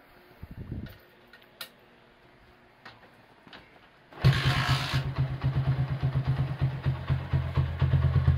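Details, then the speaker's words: 1977 Honda CB100 K3 after engine rebuild, exhaust bracket replaced with thicker steel GL part: fires first try and settles into a low, even thumping idle; idle can now go low, cylinder head sounds smooth, normal start and idle. "Sekarang langsam bisa kecil ya. Head juga suaranya halus."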